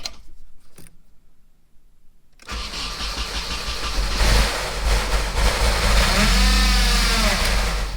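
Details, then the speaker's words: 1994 Nissan 240SX convertible, first start of the day, idling to bleed coolant, running poorly: uneven idle with a rapid ticking slap about three per second as the cooling fan hits the shroud. "Alright, so the fan is hitting the shroud."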